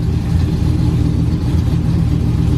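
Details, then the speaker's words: 2012 Ram 1500 Hemi freshly cammed (FRP Tomahawk cam), idling about 1000 rpm: loud lumpy V8 with raspy puffing edge, a bad exhaust leak near the manifold, probably both sides, spoiling AFR readings; oil pressure 53; fix planned tomorrow. "It's got a hell of an exhaust leak. I'm gonna have to fix that tomorrow."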